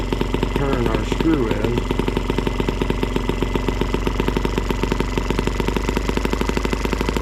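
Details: Small two-stroke (M12B) running on camp fuel mixed with two-cycle oil, warm: a steady, even buzz with regular firing. The owner thought it ran possibly rich, and leaning it out made a massive difference; now running smooth.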